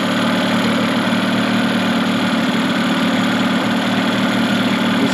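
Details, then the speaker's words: 1992 Mercury 15 hp two-stroke short-shaft outboard, built from two motors, with prop off, after idle adjustment: steady, busy buzz staying high and even in gear; idle running fast. "it does sound kind of fast in gear"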